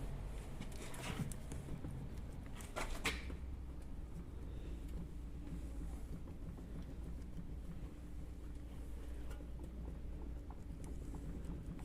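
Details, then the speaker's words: 2000 Volvo C70 convertible that clunks at full steering lock when cornering or parking: faint dull knocks as the raised front wheel is rocked left and right, felt at the steering rack end; worn inner steering rod, not wheel bearing. "It does feel like it's in the steering, but it feels like it's steering rack end, not ball joint end."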